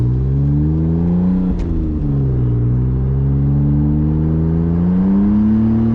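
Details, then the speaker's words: BMW E46 325i drift car with the exhaust and heat shield removed (free-flowing), the day before a clutch replacement; engine note flares under throttle while drive doesn't follow, with nasty downshifts; worn clutch slipping. "that slipping clutch nasty downshifts one of my favorite corners right there"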